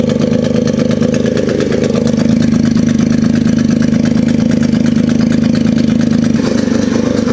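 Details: Polaris RZR 170 sat about 5 years, first running on choke after starting fluid: loud rough smoky idle with steady rapid knock about three per second; owner hopes it's just exhaust but suspects a knock, cause unconfirmed; it later died on its own.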